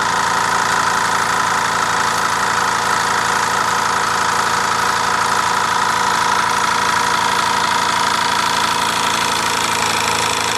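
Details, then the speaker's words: Mamod SE3 toy steam engine, recently cleaned and tightened, steam leaking at the whistle and safety valve: steady chuffing at about four beats a second with a harsh knocking edge, like a rough diesel idle; rough running, owner unsure whether normal. "sounds like a diesel M it idle bit rough"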